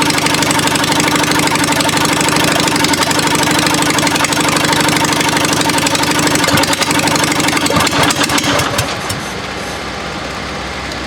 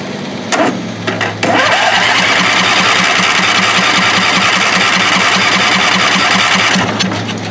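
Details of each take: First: Murray mower with 22 HP twin engine: uneven, lumpy running, firing only on the first cylinder; dead cylinder has spark at the plug wire and a fuel-wet plug but is not burning, bad plug suspected. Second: Murray mower with 22 HP twin engine, first start on both cylinders after chasing a dead cylinder: a few cranking clunks, then a deep, even beat on both cylinders with no stumbling; deeper tone, healthy.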